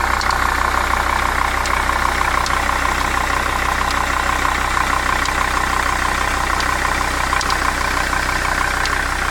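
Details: 2002 Jeep Grand Cherokee WJ 2.7 liter idling steadily with a sharp, regular ticking of about three ticks a second over the rumble. Finding: engine ticking at idle, cause unknown.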